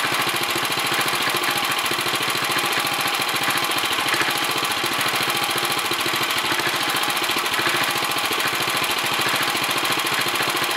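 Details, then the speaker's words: 1964 Sears Suburban 600 garden tractor small engine with a leaking sediment bowl; the carburetor probably needs cleaning and adjustment. It chugs about 3.5 beats per second, a bit ragged but settling toward a steadier rhythm. "The carburetor needs cleaning out probably, and then adjustments, but other than that, who knows? little Sissy Blue runs again. It kind of sounds like she's straightening out a little"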